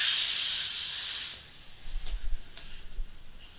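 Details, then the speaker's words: Yamaha MT-01 motorcycle tyre change: steady air hiss stops, then a few dull pops as the tyre bead snaps onto the rim, before the valve is fitted; normal, properly seated bead. "Now, see the tyre onto the bead before I put the valve in. You should hear it give a couple of pops."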